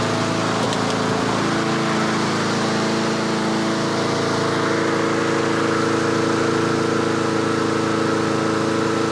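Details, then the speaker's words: Yard Machines/Yard-Man 21-inch self-propelled push mower in late-fall tune-up, just started and choke off: fast single-cylinder running with slight hunting rise and fall in speed; surging while still cold until warmed. "oh it fired let me surge a bit the choke is off now research until it warms just a little bit"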